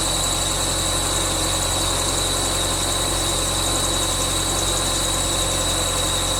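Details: 1999 Subaru Forester S 2.5L EJ25 SOHC, first start after head gasket replacement: high, constant squeal over a smooth idle from the bottom pulley, which was on too tight. Belt squeal from overtightened pulley.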